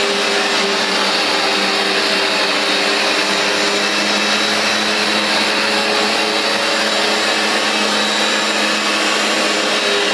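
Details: Vax Dual Power Total Home carpet washer, new replacement unit, cleaning a very dirty new rug with heavy foaming: high even suction-motor roar with busy brushing hum from the dual brushbar grooming the pile, steady throughout; running normally.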